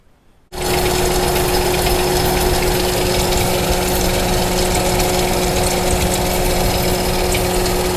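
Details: Engine running after valve cover removal, with oil burning off: loud idle with a fast, light chirping tick. Rocker arms were checked and found fine with no cam bearing noise; owner next suspects the timing chain guide, unconfirmed.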